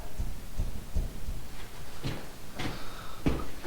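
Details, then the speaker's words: 2010 Jeep Liberty on the lift, wheel grabbed and rocked by hand: dull irregular clunks, one or two a second, indicating a bad wheel bearing; ball joints to be checked to rule them out. "That's how you can tell it has, this one here has bad wheel bearing."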